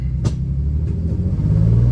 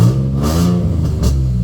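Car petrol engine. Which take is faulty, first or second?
first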